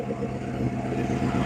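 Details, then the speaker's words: 1935 Ford deluxe with a 302 Boss V8, idling after first start in decades, moisture still needing to be dried out: deep, even V8 burble with a steady lope and no tapping or misses; running healthy. "But sure is good to hear that truck running."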